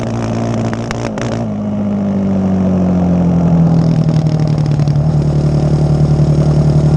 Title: Yamaha raptor misfire